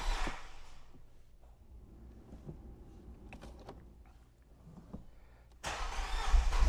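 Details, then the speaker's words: Fiat that sat a long time, started with the owner's procedure: a long quiet crank with little compression until oil pressure builds, then it catches and settles into a strong, even run. A normal, healthy start. "So now you can hear it. It works very nicely. It sounds great. And there's nothing wrong with it."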